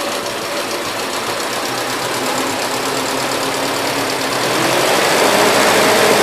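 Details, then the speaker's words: 1977 Gravely GMT 900 with the choke off after main and idle screw adjustment, on a mix of old and fresh gas: steady, quick, evenly firing putter that picks up slightly; it runs halfway decent. "the choke is the Hawaii off now and it seems like it's running halfway decent"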